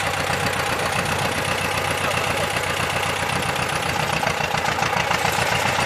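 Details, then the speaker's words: T-25 tractor diesel after repair (new brake drums, cable throttle, new seals): even diesel clatter at a steady idle, slightly rough but consistent, no misses; running normally. "Може, що там ще не притерлось, що тугувато сильно. А так, нормально працює."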